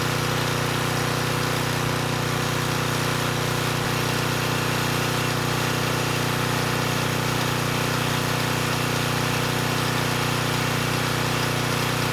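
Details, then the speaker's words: Repaired Coleman Powermate Pulse 1850 generator (1996 engine) carrying a space heater slightly above its 1500 W rating: steady, even drone with constant low hum, no hunting or surging, maintaining 114 V at about 62 Hz after governor adjustment; normal running under load. "so i think we're in pretty good shape the generator is only rated at 1 500 watts and this space heater actually pulls slightly more than that and i was able to maintain voltage of 114 volts so i think we're good there"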